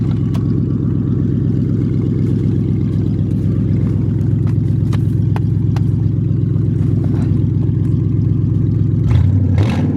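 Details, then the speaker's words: 1995 Lincoln Town Car cold start on a warmer day, running open headers with no exhaust: loud lumpy idle with faint, uneven high chirps over the rumble; a bad idler pulley is causing the noise. "It's been a little warmer today, so we'll see how it goes. It's got a bad idler pulley. That's what that noise is."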